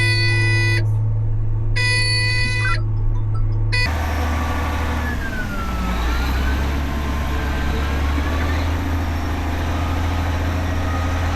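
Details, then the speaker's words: Caterpillar 18M3 motor grader pulling away toward the workshop with a steering fault. Loud beeping at about three a second sounds over the low diesel rumble. Steering fault warning beep. "That loud beep beep you're hearing is the steering fault warning and I'll have to drive all the way to the workshop with that sound going. Trust me, it's extremely annoying."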